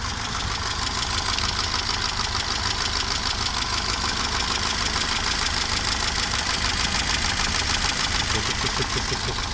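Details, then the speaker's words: Mercedes 190E (W201) at idle, owner asking whether it runs well; light fast tick about three per second, slightly uneven, over a steady idle; valvetrain or chain noise suspected, cause unconfirmed; engine ticking at idle. "Вот хочу записать работу двигателя. Как вы считаете, работает хорошо? И какой-то звучок такой, как бы, ну, если слышно."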